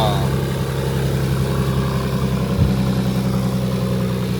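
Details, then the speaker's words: Nissan 300ZX Z32 engine after replacing a bad idler pulley bearing: smooth, even idle with a steady low drone, no more chewed-up bearing noise or rattle from the accessory drive; bearing fixed, runs healthy. "No more chewed up bearing noise. That's what we like. Bearings fixed."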